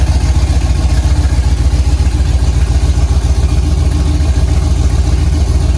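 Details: 5th-gen Camaro V8 on its first start-up after broken-piston repair, DOD/AFM delete and Texas Speed 224R cam, no AC belt because the compressor is gone: deep, loud, steady idle with an even low rumble and no knock; running fine.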